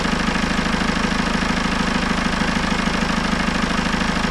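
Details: Citroën C4 Grand Picasso 2.0 Blue HDI 150 diesel, first start after head gasket repair and engine refit, coolant bled: steady, even diesel clatter at idle, regular rhythm, no hunting, misses or knocks; engine runs smoothly.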